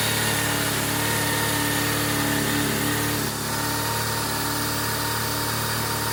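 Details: 1997 BMW R1100RT after no-start fix, fuel gauge now working: even, steady idle with constant pitch and no stumbles or mechanical clatter; the boxer twin runs cleanly.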